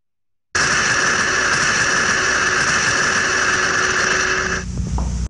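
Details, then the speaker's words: Steam trap heard in an ultrasonic inspection; a steady hiss with a fixed high tone that never cycles off. The continuous noise indicates a potential problem, likely the trap passing steam continuously. "słyszymy ciągły hałas może potencjalnie mamy problem"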